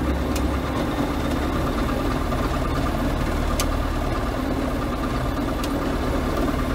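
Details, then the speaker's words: John Deere 6000 highboy sprayer diesel, restarted after running out of fuel and bleeding the fuel filter: settles into a steady, even idle with its usual light clatter, no stumbling; running cleanly once fuel reaches it. "well luckily all we had to do is bleed the fuel filter out and start it up so that's problem"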